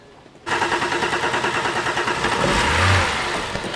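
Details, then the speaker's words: 2007 BMW 328i with crank no-start cranks steadily and catches briefly on starting fluid sprayed into the intake, then dies; spark and coils confirmed, fuel side to be checked. "all right so we see it it tries to start all our alternative fuel so that tells us we've got spark"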